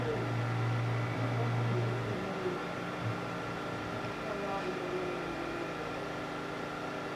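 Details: Eight-mirror scanning club/disco light, one stepper motor unit plugged in on the bench: steady electrical hum with fast, slightly uneven buzz about three pulses a second; motor apparently not screwed in properly, rattling in a loose mount.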